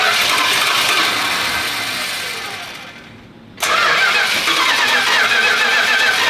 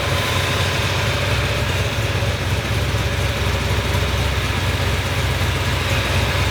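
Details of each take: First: Restored Chrysler 383 V8 with crack-welded block, first start in the car after timing was advanced: starter churns steadily, stops and resumes without catching; fuel hasn't yet reached the carburetor from the rear tank, so it needs priming. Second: 383 V8 in a newly restored car, first run after welded block repairs, at operating temperature with manifold paint burning off; loud steady even idle, deep low rumble, no knocks or misses; a small fuel leak found, so it is shut off.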